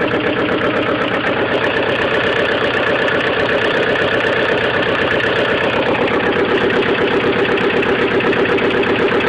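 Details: 1998 Mazda Protege at idle: steady even knock about four per second repeating throughout; engine knocking, cause not yet pinned down.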